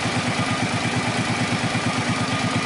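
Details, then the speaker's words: Suzuki Boulevard C50 800cc cruiser after a cam chain rebuild, since the chain had been slapping at the rear cylinder top: steady, even idle with a quick pulse of about eleven beats a second, no slapping rattle. "main thing is when it's yeah when it's idling it's not slapping about and yeah it's looking right"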